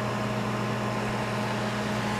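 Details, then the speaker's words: 1988 USA-made Sharp Carousel II microwave, shell off, tested while troubleshooting after it stopped working. With water inside it draws about 10 A, matching its 1.2 kW nameplate; steady low electrical hum and even fan drone, no arcing, so it heats normally. "It should pull 1.2 kilowatts according to the nameplate. So right at 10 amps, 10.1. volts times 10 amps, that's right at 1.2 kilowatts, so that's"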